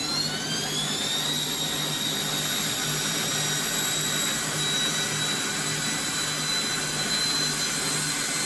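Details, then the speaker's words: Bosch WFF1401 washing machine motor after replacing the motor bearings, run with the back panel off. A smooth, even spin with a steady high whine that climbs with speed and no grinding; much quieter than before. "It's loud, but the back isn't on it. So put the back just lightly in place because that'll hold some of the noise. I would say it's a lot quieter."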